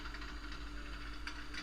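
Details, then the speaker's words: Model railroad layout with code 55 track and Peco turnouts: a car uncouples unexpectedly on the turnouts, derails and is dragged along the track, making faint quick rattling clicks over a low hum. "like right there's one uncoupling that shouldn't happen and you'll hear me dragging the car on the ground"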